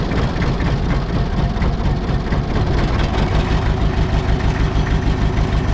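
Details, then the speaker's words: Mitsubishi BD2F dozer four-cylinder diesel just revived after years: deep idle clatter with an uneven, lumpy beat, not firing cleanly on every cylinder; owner suspects air still in the injectors, not running on all four. "if y'all noticed yesterday this thing was running just a little rough and uh I I don't think it has all the air out of all the injectors which means that I don't think that we're running on all four"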